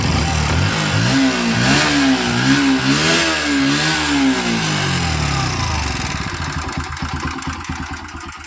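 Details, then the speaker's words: Bajaj Pulsar NS125 BS6 motorcycle with about 14,000 km: light, fast ticking over the engine that quickens as revs rise and fall; owner suspects a loose timing chain, but the finding is loose valve tappets needing adjustment. "Bike के अंदर आवाज बहुत ही बेकार सा आ रहा है। TT जैसे timing चैन वगैरह इसका पूरा ढीला हो चुका है।"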